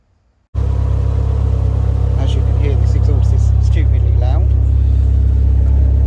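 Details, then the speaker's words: Renault Clio RSi with an ill-fitting aftermarket exhaust, before replacement with original Renault parts: deep, heavy, loud boomy idle drone swamping everything, far louder than stock. "okay today we're going to be changing the exhaust someone's put a big boomy one on it it sounds like"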